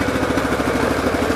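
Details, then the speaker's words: Cub Cadet 1884 garden tractor twin-cylinder engine, right-hand ignition coil bad, before repair: fast steady thumping with a hollow one-sided chuff; one cylinder dead, misfiring from the failed coil. "Here's a good before. You can definitely hear the dead cylinder now."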